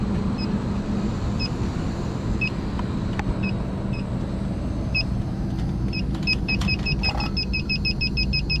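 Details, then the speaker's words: York packaged rooftop unit, one of two refrigerant circuits down and not cooling: leak detector chirps about once a second, then beeps rapidly near the evaporator coil, indicating a refrigerant leak there. "it isn't me is going off it's going off when we go in here there's a leak somewhere in there"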